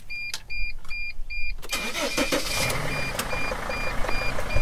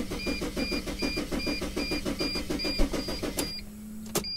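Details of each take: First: Mercedes Sprinter diesel after swapping in a replacement relay for a no-start: chime beeping, short crank, catches quickly and settles into steady idle; normal start. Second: Mercedes Sprinter van cranks steadily at about four compressions a second under a chime, never catches, tachometer doesn't bounce; no-start caused by using the key to the wrong van.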